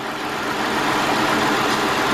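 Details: 2005 Hyundai XG350L that ran rough with codes P0350, P0300, P0302, P0305; coil swap didn't move the misfire, so a new connector and wiring were fitted: now steady even idle, no stumble, miss or surging, running smooth.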